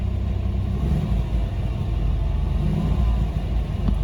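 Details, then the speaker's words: 1992 Chevy S10 Blazer cold start at 25 degrees, previously bogging on throttle off idle; steady low rumble picking up cleanly with no stumble or hesitation; fixed, throttle position sensor believed the cause. "and it doesn't hesitate anymore. And I've driven it for 2 days, and it's still been good."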